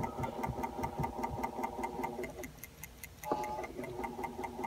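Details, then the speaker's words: Acoustic Research turntable Hurst motor running on its own with no pulley or belt: a steady hum with sharp, even ticks about 2.5 per second. This is an intrinsic internal motor fault, not belt tension. "can definitely hear it clicking. So I've read some stuff online where people think it's a result of the wrong belt or belt tension or the belt pulling the shaft up and down, but this is without the pulley, without the shaft. It's just an intrinsic issue with the motor itself."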